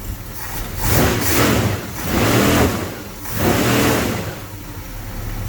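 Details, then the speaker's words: 1966 Mustang 289 V8 with two-barrel remanufactured carburetor, restarted after years sitting: three clean throttle blips rise and fall smoothly with no stumble; healthy motor after fuel pump replacement and new fuel line. "Now see, that's a good sounding motor. So that fuel pump did the trick, y'all."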